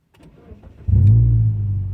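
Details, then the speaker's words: Car started by holding the button on a Compustar 2W705-SH remote starter: a short starter whirr, then the engine catches cleanly within a second and settles into a smooth, steady low idle, with the remote confirming the car is on; a normal start. "See, and now the car is on, and it will tell you right here. So that sound is, it's telling you, hey, your car is on."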